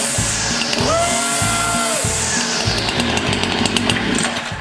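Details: Stihl FS 70 RC two-stroke trimmer after recoil rope repair; catches and revs up and down cleanly with background music; running normally.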